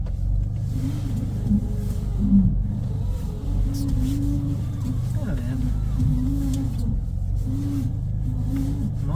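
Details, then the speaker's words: BMW E46 320i drift build, after replacing the power steering pump with a ZF LF30 drift pump: engine runs smooth with a steady drone, the old pump's whine is gone and steering feels slightly lighter; normal power steering pump operation. "After starting, the most important difference is that you don't hear the whining compressor, i.e., the old pump."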